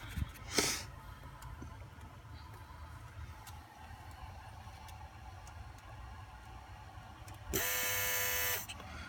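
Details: 2003 Volvo S60 2.5T AWD idling with a low engine rumble, then a loud, harsh electrical-sounding buzz about a second long from somewhere in the engine bay; exact source not located.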